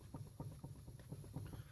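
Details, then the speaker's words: Buick Rendezvous with the wheel raised and rocked by hand: dull low knocks about four per second as the worn, loose wheel bearing wobbles. It should be solid; the wheel bearing needs replacing. "watch here you can hear it wobbling in there i don't think you can see it but you can definitely hear it"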